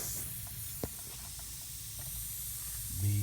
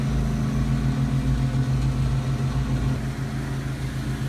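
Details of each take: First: HVAC condenser not running, gauges flat: quiet steady high hiss of nitrogen escaping under pressure from a pinhole in the refrigerant line, rubbed through by a taped compressor run wire lying against it; refrigerant leak, no motor running. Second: AC condenser after repairing a pinhole refrigerant leak rubbed by the run wire and recharging (TXV system, about 17–18° superheat, 14° subcooling): steady fan and compressor drone with no rattles or hissing. Normal running after repair.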